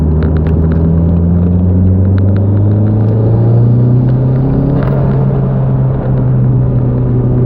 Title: MR2 Gen4 misfire at high boost.